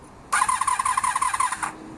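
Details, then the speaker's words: 1982–83 Honda V45 Sabre V4 café racer project, unused for a long time, on full choke: about a second and a half of quick, even starter chatter that never fires. Cranks but won't start because the carbs are starved of fuel. "The goal is to get the bike to be able to start without choke and fire on all 4 cylinders. But just to illustrate with choke, let's see if there is a difference. Nope."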